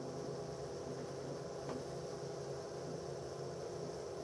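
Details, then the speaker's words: Dell OptiPlex GX270 desktop after motherboard replacement: steady whirring hum with a thin unchanging high whine from the graphics card fan, identified as the noise source despite the fan being cleaned of dust. "but that is indeed the fan that's causing a problem here"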